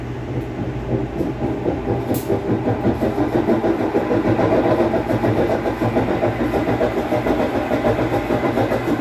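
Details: 17 kg Whirlpool washing machine leaking water from the bottom and sometimes not finishing cycles: as the drum spins up, a rough, rumbling churn builds and holds with a gritty rattle; transmission bearings worn from getting wet.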